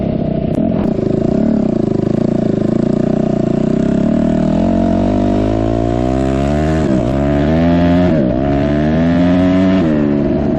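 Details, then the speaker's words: 2004 Suzuki RM-Z250 dirt bike after rebuild; crisp revs climb and drop cleanly with no popping, backfire or bog; pulls strongly and sounds healthy. "all right I got to say I am pleasantly surprised at how well this bike runs and how much power it has"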